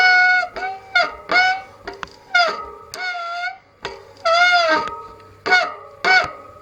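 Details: Bicycle disc brake squeal before repair: loud honking squeals in repeated bursts each time the brake bites, wavering in pitch; contaminated pads and a worn rotor are the cause, fixed by replacing disc (SM-RT53/RT54 compatible) and pads.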